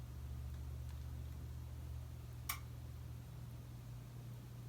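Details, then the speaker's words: 2002 Casablanca S3 ceiling fan with new capacitor, Versa•Touch 1B remote and Rhine receiver, running on low. Steady low motor hum, then one sharp click as the motor reverses direction; normal reversing click. "You heard the click? That's the sound when it reversed."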